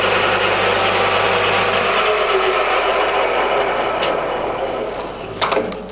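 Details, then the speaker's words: Used Scott 6230 x 1000 single-phase lathe, 1 m between centres, spindle in high range stepping through 460, 755 rpm speeds: steady even gear hum and whir, no knocks or rattles, easing off near end; runs normally. "So those are the feeds on it, and I'll take you into the high range. The next one is 460, 755,"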